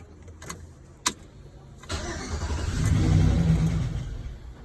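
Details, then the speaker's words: 2007 Chevrolet Silverado, previously no-start, after faulty airbag module disconnected and main key reprogrammed to the theft deterrent module: a couple of clicks, a short crank, then the engine catches and rises into an even rev; starts cleanly. "Ah. There we go, just probably sitting up for so long."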